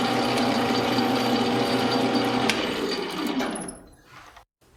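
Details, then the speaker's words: Lathe drilling the through-bore in a bench grinder diamond dresser body: steady buzzing whine with fine rhythmic rattle during the cut that fades when it stops; drill chatter, to be followed by reaming. "so the last thing to do here at the lathe is to drill for which is going to generate all that chatter again and then ream the through-hole for the diamond itself"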